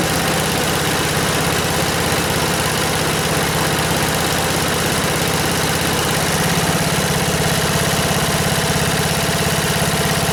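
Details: 1977 MTD 990 (Dayton-badged, 16 hp) lawn tractor after no-start fix: steady, even single-cylinder putter at low idle with no misses or knocks, deck engaged; engine runs smooth and healthy.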